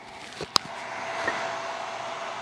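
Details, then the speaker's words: Ender 2 Pro 3D printer just powered on and idle, microphone held next to its 60 mm fans: a steady airy whoosh with a faint fixed hum. The fans run excessively loud. "m noticing about this machine is it's kind of unnecessarily loud I mean come on why are these fans so loud but yeah this amount of noise for a printer that's just turned on not doing anything is a bit excessive"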